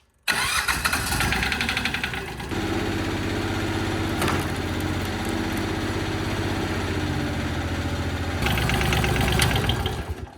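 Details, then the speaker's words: 20 hp diesel engine on a home-built heavy-duty vertical log splitter: cranks, fires and clatters on unevenly with an irregular harsh knock and a loud rattle. It sounds bad and is running rough; the cause is not yet known. "So it sounds like shit. Yeah, it does."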